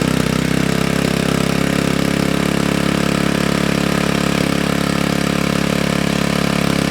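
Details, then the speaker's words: GY6 engine with a 171cc big bore kit in a Honda Ruckus, freshly rebuilt and idle adjusted, after the stator-to-CDI wiring fix: the single-cylinder engine holds a steady, even idle with a clean regular beat and no knocks. Normal idle. "Alright, so it looks like it starts. That's awesome. It sounds good."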